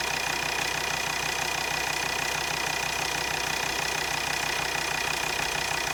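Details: Volvo XC60 D5 diesel (possibly Euro 4) at idle. A sharp, even tick about three times a second rides over the idle. Two injectors measured around 0.3 ohms against a wanted minimum of about 0.4–0.5, so they are faulty.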